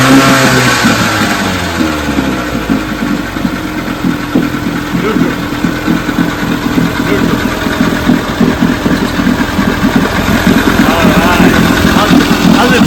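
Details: Vintage outboard, JB's $5 motor after three days of carb, spark and gear case work, or the 3 hp: a steady, buzzy two-stroke beat holding an even rhythm after a brief rev, firing cleanly with no misses or knocks; normal running.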